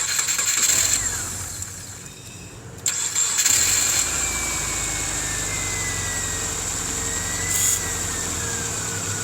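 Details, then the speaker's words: Subaru boxer engine, not the 2005 Impreza that smokes, fitted with poor plugs and a poor battery connector: brief crank, catches and settles into a steady, even idle with no knocks or misses; normal start and idle. "like a Subaru but this one doesn't blow all sorts of blue smoke a little bit of condensation probably"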